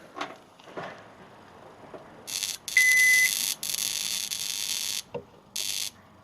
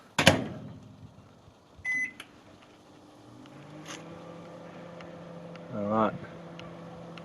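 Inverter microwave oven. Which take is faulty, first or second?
first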